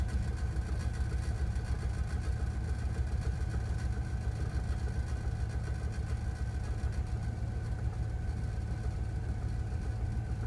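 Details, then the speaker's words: 2000 Dodge 3500: deep low idle with uneven throb about twice a second that never settles; rough running, cause unclear. "just sounds a little weird yeah it sounds like it's gonna give out soon"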